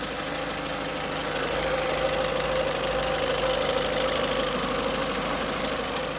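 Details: Peugeot 307 1.6 16V 110 hp at idle: a steady idle with a rapid, somewhat uneven ticking knock at about three per second on top; source not yet identified; abnormal engine noise.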